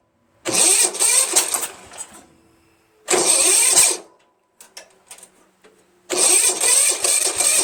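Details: Starter gear hanging up: three straining cranking bursts, each dying out without catching. The weak starter smokes, partly burning off penetrating oil.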